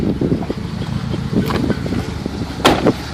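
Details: 1990 Talon petrol engine at idle with irregular, sharp knocks coming and going over the steady run. The owner wonders if it is piston slap, but the cause is unconfirmed.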